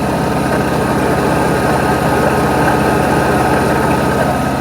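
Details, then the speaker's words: 1992 Mercedes 600SEL V12 barn find, cold start, with vacuum leaks and mismatched mass airflow sensors: steady idle with a constant whirring hum from a loud water pump, due for replacement along with the fan clutch. "Water pump is loud. It makes the noise."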